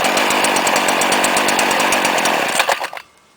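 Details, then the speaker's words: 2010 Stihl FS70 RC 27cc strato-charged trimmer, cold start after 2-3 hours in sun, started on second pull with three primes: high buzzy two-stroke wail at steady speed, crisp and even, then clean shutoff; running healthy. "Look at that. Awesome. Second pull FS70 RCE sounds like a chainsaw."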